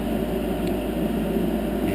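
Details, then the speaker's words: 10-year-old Heil gas furnace after replacing noisy failing exhaust inducer fan with a new one, hard-wired: smooth steady low fan hum, no rattle, scrape or wobble; quiet normal inducer operation. "yeah much much much much better it's quiet it's quiet"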